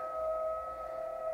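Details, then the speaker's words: ICOM IC-751A transceiver after PLL trimmer replacement and readjustment: a generator signal near 23 MHz gives a clean tone held dead level with no hash. The PLL is locked and stable, where before there was only ratty noise. "we're up at one of the higher frequencies here almost 23 megahertz and a nice tone nice and stay well stable as can be with my my lousy frequency generator"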